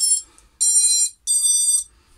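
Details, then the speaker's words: XING 2207 brushless FPV quad motor after replacing bearings with 684ZZ 9x4x4; two short, clean high-pitched whines with steady pitch, no rasp or rattle, sounding better already: normal motor run. "even the saying that motor Saints better already"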